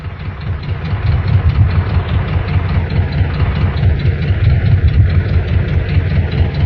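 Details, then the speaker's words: Air-cooled four-cylinder Volkswagen engine idling while missing on two cylinders: low, rough idle with an uneven, stumbling beat where firing pulses drop out. "Now, let's listen to an engine that's missing on two cylinders."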